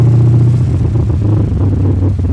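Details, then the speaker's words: Carbureted, supercharged Ford with hood shut simulating traffic, engine around 212°F heat soaked: held revs rough and uneven, sagging and stumbling; hot engine misfiring and cutting out, dying; cause unknown, carb suspected. "It's already acting stupid. We're at about 212-ish. I'm gonna rev it up and hold it, and you can hear it's missing and cutting out."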